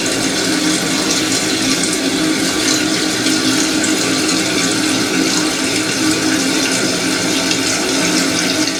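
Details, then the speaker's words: Toilet cistern after its fill valve was replaced because it hissed and ran nonstop. A smooth, steady rush of water refilling the tank, then it stops, with no whistle or hum. Normal tank refill. "yeah let's try there's no noise right it's fresh [Music] so yeah there it stops and there's no noise that's how to do it"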